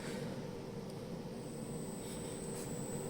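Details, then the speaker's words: Milwaukee M12 battery charger: steady low buzzing hum with a thin high whine, still present after transformer disassembly; traced to a poorly damped snubber circuit, and after modifying it the charger is nearly silent at the same 40 W draw. "Шум, який був, таки й залишився, але почав шукати шнаберні ланцюги, там, е, гасіння контурів, всяких коливань і знайшов дещо."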